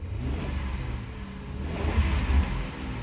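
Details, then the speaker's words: 2004 Crown Victoria Police Interceptor V8 revved after clearing codes: blips up and settles to a rough, stumbling idle; cylinder 8 misfire code. "Ooh, I can hear that miss. All right. Come on, you. There we are. All right, cylinder 8 misfire."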